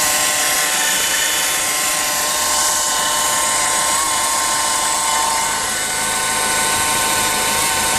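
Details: 2007 Renault Clio diesel engine running: steady high-pitched whirring hum with a faint irregular flutter from the engine bay; abnormal engine noise of unidentified origin.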